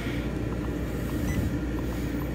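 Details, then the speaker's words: Silverton 34 boat with a new Webasto FCF Platinum 16k BTU reverse-cycle marine AC replacing a late-80s or early-90s Marine Air unit. On low fan it is very quiet, with a soft steady compressor hum and faint fan hiss while cooling toward 65°F. Normal cooling. "okay so high and well medium are pretty much the same but low that's pretty darn quiet you really just hear the compressor at that point so that's nice"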